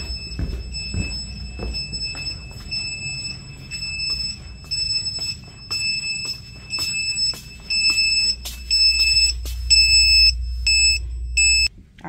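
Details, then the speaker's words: High, shrill sump pump alarm beeping about once a second, heard in the house after the electrically operated sump pumps lost power during repeated power outages. "can y'all hear that beeping that is the stmp pumps because the power keeps going out and they are operated by electricity"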